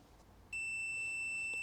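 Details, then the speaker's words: Mk1 Mazda MX-5 misfire diagnosis: a multimeter on continuity gives a steady high beep when back-probing the brown/yellow wire from ECU to coil pack; good connection, so no broken wire. "so that beepin means there is a good solid connection and because of that we know there is not a broken wire between the ECU and the coil pack"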